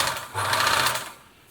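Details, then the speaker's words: Singer 760 sewing machine, first test run before lubrication: a light, uneven internal clatter over the motor hum when the foot pedal is pressed. The toothed motor belt does not seem to slip, and the source of the slight rattle is not yet found. "But that one seems good. Bit of a rattle."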